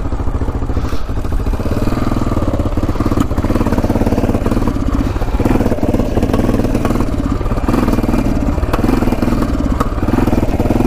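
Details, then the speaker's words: About 1980 Yamaha XT500, sat over 20 years, on its first ride: single thumps at a steady, heavy beat that never climbs; it won't rev out and sputters, and removing the pipe and air filter didn't help. A restricted air box, not enough air, is suspected. "first ride uh wasn't the greatest in the world um it just wouldn't rev out"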